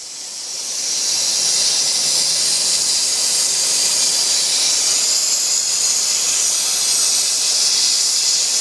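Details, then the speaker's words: Presto pressure cooker on the flame at maximum pressure: a loud, steady high hiss rises then holds even as steam vents through small holes; the safety valve is working properly. "tenang aja kalau udah mendesis gini artinya klep pengaman kita ini bekerja dengan baik"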